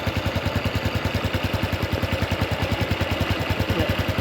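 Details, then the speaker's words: Honda Wave 110i single-cylinder motorcycle idling after an engine repair: sharp even exhaust puffs, otherwise quiet, with a slight leak from a cracked exhaust pipe, seen as normal for an old bike. "เงียบนะมีเสียงท่อเอ่อท่อมันรั่วนิดหน่อยแค่นั้นเอง"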